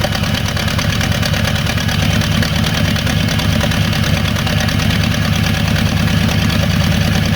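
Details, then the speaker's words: 1986 Ford F250 after a new starter, restarted while warming up: steady, low, even idle with no knocks or misses, running smoothly; owner thinks there is a lot of vacuum. "I'm sure there's a lot of vacuum too. It's running."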